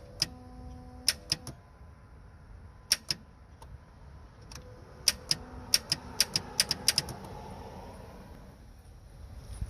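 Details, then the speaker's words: Car clicks but won't crank: sharp single clicks and bursts of clicking at each key turn; battery, starter, relay and fuse tested good; cause was a positive battery cable internally corroded with green corrosion, tight but sparking. "you can hear the clicking sound and everything was uh seems to be almost normal okay but the clicking sound was a problem"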